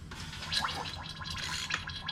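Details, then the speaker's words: Engine removed from 1971 Plymouth Satellite wagon, with metal and plastic timing gear bits in oil pan: turning crank by hand gives slow wet gurgling and hissing with some compression; bottom end believed fine, timing gear failure suspected. "listen to that got some compression back there goodness sounds like a bad day after Taco"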